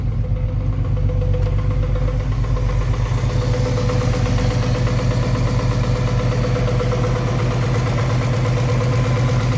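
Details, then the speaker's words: Little 200 inline six, started with the key: a smooth, even low idle with a steady rhythmic beat and no knocks or misses. Running healthy. "it runs good sounds good it didn't get low on oil I made sure to stop it or riy and grab some it sounds really good for a little inline"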